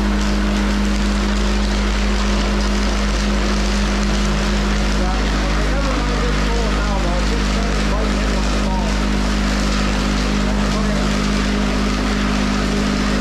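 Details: Van Dale silo unloader running in the silo after setup, greasing and oiling; steady low hum at constant pitch with faint mechanical churn, no knocks or grinding; running normally, silage coming down smoothly.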